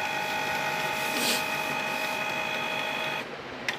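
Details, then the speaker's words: Canon Pixma G-series printer not printing, during maintenance cleaning cycle with ink above minimum: steady high mechanical whir with fixed tones, then a quieter settle and click; normal cleaning cycle. "now now this the processor started happening you can hear the noise [Music] and I have to wait for some minutes"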